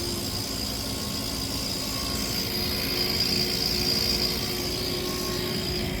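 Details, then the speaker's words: Refrigerated display counter with low compressor compression, still cooling but not enough: steady compressor hum with a constant close, airy hiss on top, a sign that often, though not always, accompanies a compressor losing compression. "E nem sei se a gente conseguiu captar totalmente esse ruído, mas muitas vezes quando tem falta de compressão, você escuta um chiado, o compressor funcionando e um chiado muito próximo, um chiado muito parecido."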